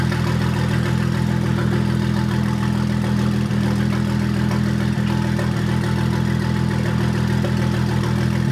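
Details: 2001 BMW 325i Touring E46 wagon with swapped N54 twin-turbo engine, first start after earlier crankshaft-sensor and fuel-pressure fault codes: steady, even idle with a regular beat of about 220 per minute, no misfires or knocks; running healthy.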